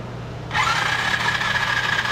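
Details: $40 125cc ATV quad with a spliced-in connector from another ATV, cranking on the starter with the spark plug out during a spark test: a steady, unlabored whir and rising whine; cranking is normal, and spark is present.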